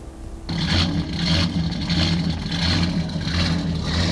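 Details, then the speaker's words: Truck with an aggressive camshaft, tuned with HP Tuners, in closed loop with fuel trims near -15%. The engine settles into an uneven, loping, choppy idle that worsens. It runs rich; the fix is removing about 20% fuel from the VE table. "Looks like we're running rich because we have negative numbers pulling out fuel. This thing is running real choppy, not happy, jumping around. And it's getting worse."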